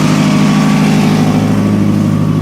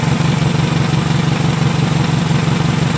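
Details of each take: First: 2000 Toyota Camry after misfire repair, just warmed up, holds a strong, even low idle drone with a raspy exhaust note from a suspected rotted flex pipe but no stumbles or skips; misfire fixed. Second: 2000 Toyota Camry, 179k miles, warmed up at idle after misfire repair: steady puffing exhaust beat about three per second with faint tick; leaky exhaust plus slight valve tick.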